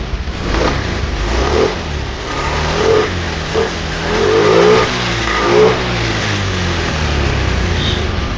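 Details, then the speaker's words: Honda Beat injection (eSP) scooter after fuel pump replacement for hard starting and weak, heavy acceleration: engine pulls cleanly from low revs, pitch climbing smoothly through each throttle burst with no stumble or bogging; runs smooth now. "Oke gagal Ya sudah ya bang ahah mantap suaranya halus I halus sekarang Ma udah enggak udah enggak susah bagus ya Bang"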